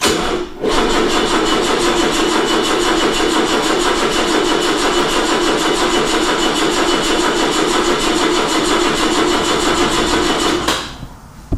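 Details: 1979 BMW 633CSi, off the road about five years, battery drained by a left-on solar charger: steady fast cranking for about ten seconds without catching, then dropping off; crank no start from weak battery.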